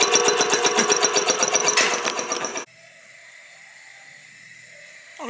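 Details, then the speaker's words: Rebuilt 1940 air compressor reaching 120 after 15-20 minutes or less: quick, even pumping of about four strokes a second, then a clean, quiet cutoff; a slight air leak is noted afterward; normal pressure cutoff. "15 20 minutes maybe maybe less and there we are at 120 and she pops right off nice and quiet"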